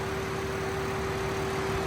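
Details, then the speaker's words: 2024 BMW M4 Competition inline-six, rebuilt after being destroyed, pod air filters fitted, fan on: smooth even idle with a steady faint hum, no ticking, knocking or misfire; sounds odd at startup but normal idle. "I mean, it sounds good right now. When it starts up, it definitely sounds like there's something wrong with it, but it's just a BMW, and that's how they all sound."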